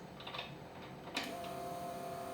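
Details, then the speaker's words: DIY EFI harness using the 280ZXT ECU, first test at key-on before cranking: a click, then a faint, steady electric hum at an even pitch. The fuel pump is priming normally. "so you should hear the fuel pump run and then when it gets done running I'll crank it so let's listen for a fuel pump"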